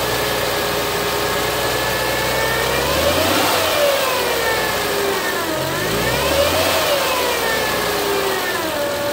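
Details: 2007 Acura TL Type S: clear whistling whine over the idle that climbs and falls in pitch with each throttle blip, following engine speed; engine whine, cause not pinned down.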